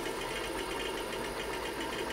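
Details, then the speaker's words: IBM PC 5150 MFM hard drive, showing up as drive D, during a SpinRite 2 surface analysis: dense, rapid buzzing chatter of heads stepping without pause, loud but even; the drive seeks hard yet performs well. "that's very loud it's performing pretty well though"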